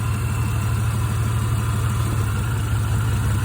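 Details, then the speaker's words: Petrol engine at idle with one cylinder's coil pack or plug disconnected to test for a misfire. The idle drops and turns lumpy and stumbling as the engine struggles and misfires more, showing that cylinder was firing. A rough idle misfire. "See the motor kind of, you know, it's moving a bit more, misfiring a bit more, struggling a bit."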